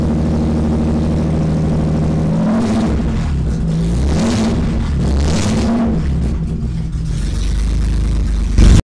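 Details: BMW E30 with swapped M30 engine, first start after the engine sat dismantled for two years, exhaust ending at the downpipe: starts on one turn of the key, deep steady rumble with a few blips, stable 800 rpm idle.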